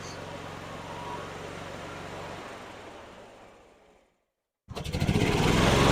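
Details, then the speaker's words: 2012 EZGO TXT golf cart engine after new carburetor, fuel pump and filter, just started with choke, cold: uneven sputtering, drops away and stalls, restarts choppy; owner suspects too much choke or adjustment needed. Rough running. "come on oh well it runs now not very good let it warm up"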